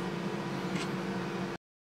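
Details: DIY milling machine with 4-pole spindle cutting C45 steel with solid carbide HPC cutter, about 500 W cutting power, DOC 7 mm, WOC 0.9 mm: steady even low hum with smooth cutting hiss, stopping abruptly; clean cut, no chatter.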